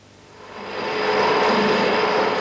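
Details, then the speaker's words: Harsh rushing roar holding steady with a faint ringing note on top: chatter from a badly fitted machine bearing, where a tight, properly fitted bearing would virtually eliminate the vibration. "you can hear what a badly fitted bearing sounds like [Music] and you can see the record result this is known as chatter"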